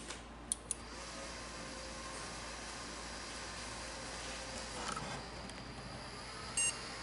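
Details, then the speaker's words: Old desktop PC after a RAM upgrade, two sticks moved to channels 1 and 2: quiet fan hiss, then one short clean beep; it now passes POST, whereas it wouldn't with sticks in channels 1 and 3. "posted so it wouldn't post with one stick in the yellow and one stick like in channel 1 and channel 3 but it will do it in 1 & 2"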